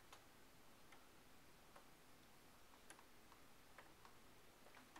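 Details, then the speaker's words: Mike's pendulum clock after beat adjustment by lifting one side: quiet, even tick and tock alternating at a steady pace with no limp; clock now in beat. "close there. You can hear the very even tick and tock."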